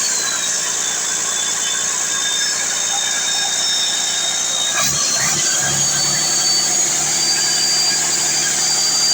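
Big diesel holding a steady run with a high, even whistle on top and no knocking or misfire; sounds healthy.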